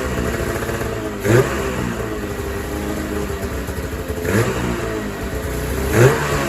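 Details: 2000 Ski-Doo MXZ-X 440 liquid reed-valve two-stroke race sled after carb cleaning, new pickup line and corrected primer lines, on fresh premix: steady buzzing run with crisp throttle blips, no misfire or stumble; healthy.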